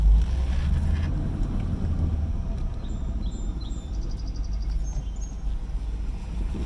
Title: Rough idle